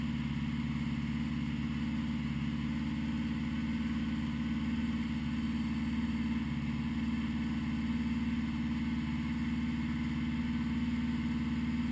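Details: 1980 Honda GL1100, slightly cold start at 54 degrees after a rebuild with carbs synchronized: smooth, even idle with a steady low hum that never stumbles or hunts; normal idle.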